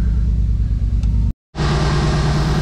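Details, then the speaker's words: Mercedes G-Wagen after repairs including a new starter, just fired up: low, steady rumble with an even firing beat and no misses or mechanical clatter; engine sounds good, nice and smooth, normal running. "all right engine sounds good nice and smooth fully assembly all look straight sounds good"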